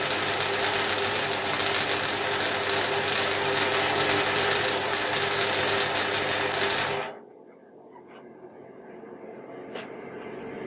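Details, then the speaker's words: MIG welder with voltage at maximum for 3 mm (1/8 inch) steel and shielding gas at 3 L/min, wire speed adjusted: steady, even frying crackle for about seven seconds, the desired sound; a banging would mean insufficient shielding gas. "okay now you can hear that coming up to the force decision and as it's on deliberative are you could hear that crackling sound that's the sound that you want"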